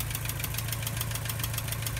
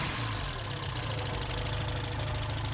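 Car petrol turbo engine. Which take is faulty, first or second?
first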